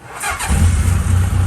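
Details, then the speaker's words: 1982 Honda CB750 Nighthawk, last on the road in 2014, started after about an hour of work following long storage: a brief crank, then a low, fairly even rumble idling at about 1500 rpm; it fires up and idles normally. "It's idling. 1500. Oh my God. That way, you made this look easy."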